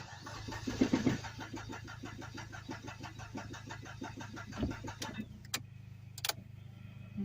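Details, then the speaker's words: Dodge SRT4 parked since 2018, newly fitted good battery, fuel pump being primed: long, uneven starter cranking with no catch, then it stops. A busted fuel line is suspected. "I'll just keep trying to primer I guess starting to wonder if maybe there isn't a busted fuel line for gas"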